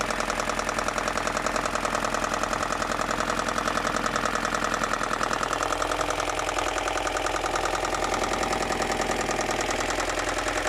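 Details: BMW M42 engine at idle with a sharp, regular knock about three and a half times a second over an otherwise steady engine; internal knock, cause unknown.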